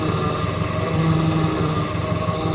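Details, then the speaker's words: Opala power steering pump whine at idle with the wheel untouched; steering feels somewhat stiff, fluid level is fine so not low oil. Cause not yet known. "Essa zoada aí, galera. Ó. Óleo tem, não é falta de óleo."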